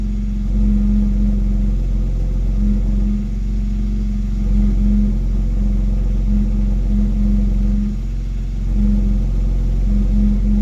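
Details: X3M exhaust humming/rattle: a low droning hum over steady engine drone comes and goes, stopping when the accelerator is pressed about 1 cm without revving; at times much louder, source unconfirmed.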